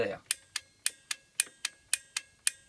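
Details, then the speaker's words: Peugeot Speedfight moped with a low battery that was charged, electric start pressed with brake held: rapid sharp clicks about four a second, no cranking; brake-to-button-to-relay circuit working, starter motor suspected, not confirmed. "that clicking noise you can hear means it the whole system from the brake to the button all the way to the relay is working so deep in here and I'll show a minute it's a starter motor"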